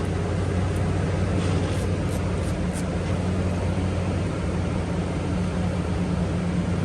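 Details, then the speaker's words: Toyota Tundra after alternator replacement (battery not charging), before coolant bleed: engine started, battery light went out instantly; smooth even idle, steady low hum, no knocks, ticks or squeals, running healthy. "Let's go ahead and start her up. Moment of truth, guys. Battery light gone instant. We're all good, guys."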